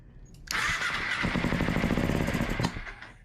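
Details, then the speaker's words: 2007 Kawasaki Ninja EX250 after sitting 5 years, run without carburetors with intake partly blocked by angle iron: fires and runs raggedly about two seconds with stumbling beats, then dies; clean carburetors needed. "Ooh, yeah. Well, we got a runner. We just got to get some clean carburetors."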